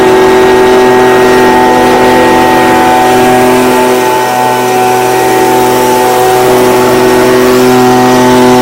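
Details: Stihl BG55 two-stroke blower, no-start fixed with a new carburetor replacing one with a torn diaphragm; gasket damaged, possible air leak. Steady high buzz, even pitch, no dropouts; running cleanly, though the owner waits 24 hours to test the cold start.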